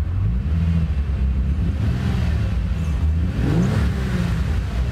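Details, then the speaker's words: Bentley Continental GT W12 just after start-up: lumpy, uneven idle with deep irregular beat, car shaking, not running on all cylinders; misfire from low compression on one cylinder bank, needing at least a valve job per mechanic. "that sounds real lumpy the car is shaking and it doesn't seem like it's running on all the cylinders"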